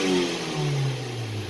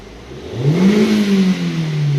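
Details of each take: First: Car (about 100,000 km) engine revved hard after spark plug repair and adaptive value reset: smooth even note with no misfire, earlier cylinder 3 misfire and stalling while driving now gone. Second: Hyundai, about 156,000 on the clock, check engine light, previously stalled while driving: hard revving with uneven wavering note, scanner shows cylinder 3 misfires; spark leaking over cylinder 3 plug insulator.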